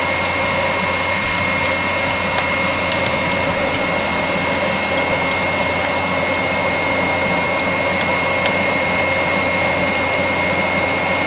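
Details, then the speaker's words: Gio Golf electric mobility scooter with its blower fan switched on during a relay continuity test: an even, steady airy whoosh with a faint high whistle, and no rattles. The blower drowns out the tester's beep; the relays show continuity and work fine. "anyway you don't hear a beeping noise because of the blower"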